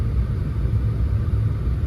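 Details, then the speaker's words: Saturn sitting in park at idle after a test drive: a low, lumpy, uneven rumble. The scan tool shows cylinder 1 actively misfiring heavily at idle, with cylinder 3 listed as a history misfire. "I've made a pretty good Discovery so when you're sitting in park at idle cylinder 1 is just going bonkers"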